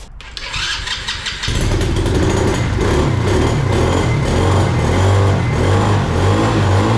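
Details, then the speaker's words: ATV engine after carburetor repair (suspected stuck float, fuel leak) and slight throttle adjustment, catches after short crank into steady even idle with clean throttle blips, running better than ever; normal running. "all right sounds like it's that one right now that sounds good all right let's shut up and try started again running better than ever did"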